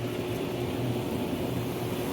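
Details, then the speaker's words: Hot tub pump running normally after replacing a blown fuse in the spa pack (heater flow fail error before); steady even motor hum with smooth water rush, no grinding or cycling, though water level is low and needs topping up. "there we go pump's working oh not enough water make sure you got enough water in there"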